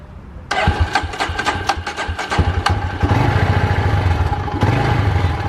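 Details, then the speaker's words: Polaris Predator 500 ATV after DIY carburetor cleaning, test run: catches after a short crank, then settles into a steady, even single-cylinder idle with no misses; runs healthy. "all right you guys we did a quick test run she sounds good she looks good"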